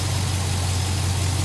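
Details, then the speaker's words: GMC K2500 LS swap with 6.0 V8 and Muncie SM465, just after ECU and dash software update, wiring temporary: deep even idle, no ticking or rattle, steady loudness; normal idle. "so yes my wiring looks all gargled up but that'll be all right i'll get it fixed later but after right now she's running she's running well um sounds good"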